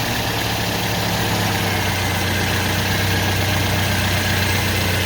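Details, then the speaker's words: 2007 Toyota Yaris after radiator cooling fan motor replacement and antifreeze refill, fan kicking on at idle: smooth, even rush of air with no rattle, tick or whine, much quieter than before; fan running healthy. "Holy crap, that fan is on. I had no idea. That's way quieter."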